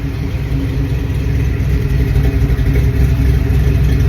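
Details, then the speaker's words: Carbureted V8 Bronco running after sitting over 11 years on old gas, heard from the rear exhaust: deep, even rumble from the tailpipes, steady as the truck rolls and stops; healthy exhaust note. "now you've got to admit that sounds pretty good a little over 10 years for that time for the Franklin"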